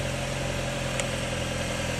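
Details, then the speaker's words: Car engine idling steadily and evenly with a smooth low hum, no knocks or ticks, after a jump start using a VTOMAN X7 jump starter on boost mode; started right up, normal idle. "gave it a little boost made sure it's connected properly and it started right up"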